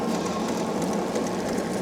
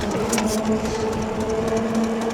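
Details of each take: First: Andsky Gravita LS e-bike (750 W motor) ridden on pedal assist 4: light regular high ticking repeating with wheel speed over the motor hum; rider suspects a bent spoke hitting the brake caliper. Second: Andsky Gravita LS e-bike, 750W motor (1300W peak, 90 Nm), full throttle without pedaling, about 29 mph top speed: even whine at steady pitch over rushing tire drone; normal motor and tire hum, nothing irregular.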